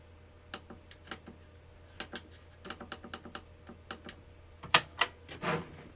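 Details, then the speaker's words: Original "phat" PlayStation 1 (SCPH-900x, 9002) with its old disc drive reinstalled: on power-up the drive clatters with uneven light clicking and ticking, three or four a second, then louder clacks; owner suspects a power issue. "Moment of truth. That still sounds like garbage, doesn't it?"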